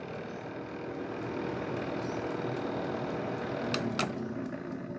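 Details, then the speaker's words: Small heater fan motor with a mechanical timer spins up with a coarse, lumpy whirring and a couple of sharp clicks, taking about 5 seconds to wind up and rattling as it winds down; a failed bearing is suspected. "Fan's working, but it sounds like it's a bit lumpy. It's okay now. That's wound up."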